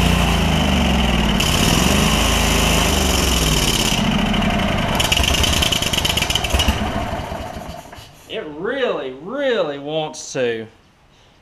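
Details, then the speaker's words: Lincoln Ranger 8 welder generator, Kohler Command CH20 V-twin, owner suspects junk in the fuel system that may purge out: catches and runs roughly for several seconds, then sags and dies. "I think it's got a bunch of junk in there like a bunch of junk and if we can get that junk to where it'll kind of purge itself out of there we may be all right"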